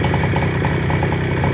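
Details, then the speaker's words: Fresh Breeze paramotor with 312 cc two-stroke and four-blade propeller ticking over at a fast, even idle, steady pulses with no misses or rattles; quiet, healthy idle. "respirations are pretty quiet even an idle here I'm sure"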